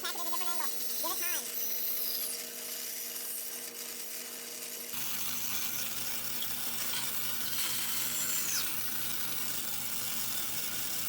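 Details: Normal cutting on a shop bandsaw (the shop has a 17" Grizzly and a 1930s 36" Oliver) making release cuts on a curve: steady blade hiss with a rising, rasping bite as the wood feeds, no ticking or rubbing.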